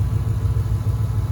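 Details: 2013 Ford Mustang GT 5.0 Coyote, manual, 81,500 miles, at idle: steady low rumble with a faint regular thump each cycle; owner suspects rod knock or crankshaft, new for 2-3 months, worse after driving, car stalls after long drives.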